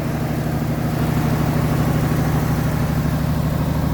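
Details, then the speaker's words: 1981 Mercury Capri idling with a loud, throbbing exhaust note and a steady puffing beat, caused by an exhaust leak and an improperly welded glass pack underneath. "It's got an exhaust leak. And it's got a glass pack underneath that is not welded in properly."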